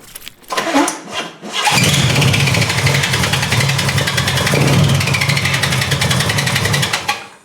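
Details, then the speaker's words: 1975 Corvette with newly installed starter: cranking then engine catches with harsh metallic grinding over the rumble as starter drive stays meshed with flywheel; fixed with two 1/16-inch shims under each starter bolt. "Why is the starter contacting the flywheel still? That's bad."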